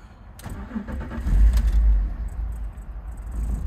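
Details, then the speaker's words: BMW E46 325Ci with misfires on cylinders 1–3, codes P1343, P1345, P1347, P0444, P0102: deep lumpy idle around 500 rpm that surges and sags near stalling, dies on any throttle; compression ruled out, spark, air or fuel suspected. "it will stay around 500 RPMs and then if you give it any amount of gas it dies"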